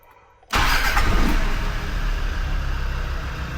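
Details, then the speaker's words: Land Rover Defender TD5 diesel after replacing the injector loom and a service with about 7 L of oil: brief crank, fires straight away into a steady, even idle with no misses; normal start and idle. "Yeah, happy with that"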